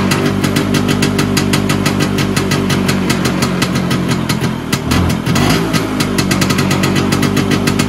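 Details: Vespa PX 125 with a 177 kit, first start after a year: a restored engine with new bearings, piston, rings, lapped cylinder and 2.5% mix; crisp, fast, even two-stroke popping at idle with a slight dip midway; a normal idle, though the owner wants it raised.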